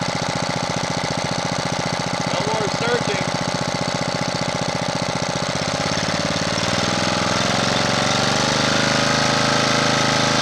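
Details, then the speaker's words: Honda GX240 after its carburetor idle-circuit passages and jets were recleaned: a fast, even governed firing beat holding steady with no surging up and down; the surge problem is fixed and the idle screw works. "we're going to call that good for now maybe we'll put on something and run it someday but it's not surging and that screw does work"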